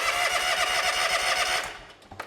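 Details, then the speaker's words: John Deere X300 series lawn tractor cranks steadily but never starts; spark tester shows no spark on both the left and right cylinders, blamed on the failed electronic ignition control box (ECU) that feeds both ignitions. "this is the electronic box that controls the ignition. And it probably controls other things, but I do know that if this fails, you'll lose both you'll lose both of your ignitions on both sides."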